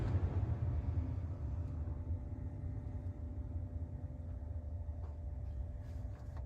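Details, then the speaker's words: 2016 Ford Expedition after replacing the blend door actuator behind the dash: steady low rumble of the running SUV with the blower on, and no more clicking from the dash; normal HVAC operation. "so yep that fixed our problem so uh we're all done here"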